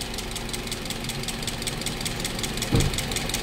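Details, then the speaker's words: Toyota Vios engine after overhaul and oil sludge cleaning, idling and with accelerator blipped: fast, even, loud constant ticking from the valve train; suspected oil not reaching the head. "yan nga pala ang concern ng ating customer ngayon sobrang ingay ng kanyang makina"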